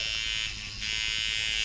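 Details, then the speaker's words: Mojobox tattoo machine being tuned around 6-7 volts: high buzzy whirr stumbles briefly; knob turned up too far, making it choppy again. "You can hear I went up too far, and now it gets choppy again."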